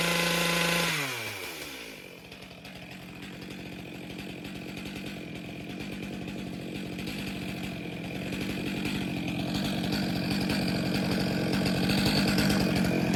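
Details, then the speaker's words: Stihl MS462 chainsaw after service (cleaned air filter, fuel filter due), auto-calibration reset after 30 seconds on choke: settles after start, then revs climb steadily and smoothly to wide-open throttle with an even two-stroke buzz; healthy saw setting its own fuel mixture. "And then just grip the trigger after 30 seconds, minimum 30 seconds. And you'll hear that load setting, and then it'll go up to wide open throttle, set it there, and then let it idle for 30 seconds, and that'll all"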